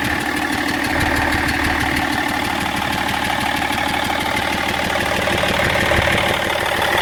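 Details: BMW E46 330d diesel at idle: regular ticking knock, about three per second, over the diesel clatter; abnormal engine noise whose source no mechanic has been able to find.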